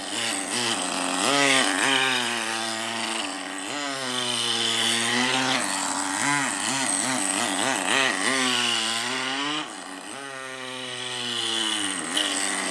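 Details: Traxxas nitro rally RC car after replacing an O-ring that had caused power loss and stalling, plus new servos: high buzzy engine revs up and down freely, keeps running without cutting out or stalling; normal running.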